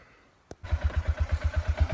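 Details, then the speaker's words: ATV (quad) that would not start, warm, found with no spark and a bone-dry plug, now running after a new spark plug was fitted: after a click it catches and settles into an even, steady thump of about eight or nine beats a second. "well i don't know if you can hear it but it's alive i really don't know what was going on"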